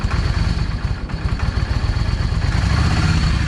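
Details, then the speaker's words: Yamaha V Star 650 V-twin, cold, modified drilled exhaust: lumpy uneven idle with irregular thumps and popping from the front (number one) cylinder; owner suspects a clogged or undersized front idle jet running it lean; rear cylinder fine, runs okay once warm. "Okay, that backfire is on that number one number one exhaust or the front exhaust. Anyway, the way it's doing, it's telling me that uh that idle jet is clogged."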